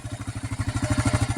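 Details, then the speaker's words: 2008 Kawasaki KLR 650 at 19,000 miles, idle set lower than usual while warming up: quick, even clatter around twelve beats a second over a lumpy single-cylinder idle, seemingly loose top end; owner suspects valve clearance or balancer, not confirmed. "At least from my perspective. They're kind of loose in the top end. I adjusted the balancer, so I don't think that's it."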